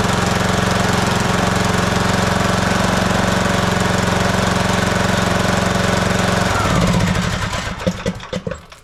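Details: Husqvarna YTH18542 riding mower with an 18.5 hp single-cylinder Briggs & Stratton Intek, running during its annual service after an oil change while the oil filter fills: even, steady single-cylinder drone with no misses or knocks, then a clean wind-down; running healthy.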